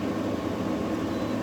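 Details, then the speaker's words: Newly installed GE AWFS10WWL 10,000 BTU window air conditioner, fan speed set high then auto/low; a steady, even air rush with a soft mid hum, no rattle or scrape. The compressor is barely audible, the air almost ice cold. "Uh, I was thought it wasn't working there for a minute cuz I couldn't hear the compressor, but now I feel the air is almost ice cold coming out of there. And that's the compressor running."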